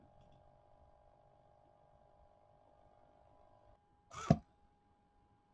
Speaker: I don't know if you can hear that like you can hear this little buzzing sound from the motor that sound could be causing our sound sensor to trigger